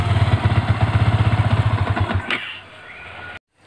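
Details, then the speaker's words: Yamaha Vixion engine: idle thump about four times a second, then a thin rising "cir cir cir" whistle as the throttle closes, from the left side of the engine; the fix starts with draining the radiator coolant and opening the left upper engine side. "Dari mesin itu ada seperti bunyi seperti apa ya, peluit ya, cir cir cir gitu ya. Ada di saat gas turun gitu. Jadi asal sumber bunyinya dari sini."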